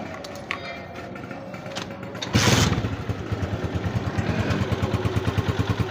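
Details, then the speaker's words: Honda CG125 2025, 5483 km, after replacing faulty cam gear that caused crying whine: smooth even single-cylinder idle and blips, no gear whine or clatter. Normal idle. "बिल्कुल सुने यहां से भी और यहां से भी मैं एक्सलरेटर देके आपको दिखाता हूं। बिल्कुल सुन हो गई अल्हम्दुलिल्लाह।"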